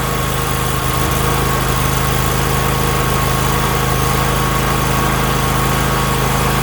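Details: Husqvarna YTH24K48 lawn tractor that cranked but would not fire, now running after a fuel hose with a hole was found. Steady, even idle with a smooth low drone and no stumbles or knocks, a normal idle.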